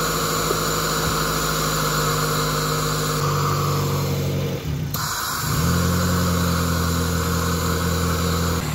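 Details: Suzuki Swift petrol engine at idle before throttle body cleaning, air filter removed: the note sags and picks back up as rpm fluctuates between about 1300 and 1100. Owner suspects a dirty throttle body; unconfirmed.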